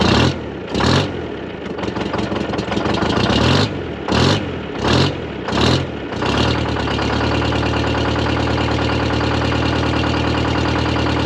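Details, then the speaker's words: Dynahoe 200-4 backhoe with a Detroit Diesel 4-71 two-stroke, first start after long storage with a partial, brazed exhaust: a few revving bursts, then a steady, even idle with a deep drone and no knocks; no bad noises. "spinning i don't hear any bad noises"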